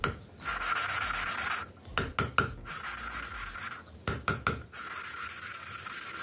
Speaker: also when you are grinding listen The noise that it is making at first is quite scratchy because the paste is just grinding and after you have already ground a bit the seat is looking good It is noticeable that this noise decreases